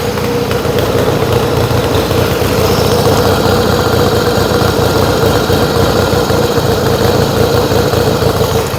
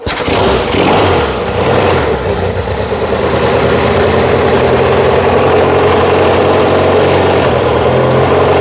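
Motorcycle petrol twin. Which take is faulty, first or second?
second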